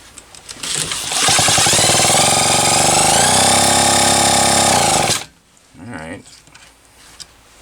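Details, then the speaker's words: Homelite XL-123 chainsaw, carb cleaned, test-run with a drill after ignition work with flywheel refitted: high two-stroke buzz about four seconds, pitch wavering, then drops off; uneven running, ageing coil suspected, not confirmed. "a little less consistent than i'd like to see but i know what it'll look like on a spark plug"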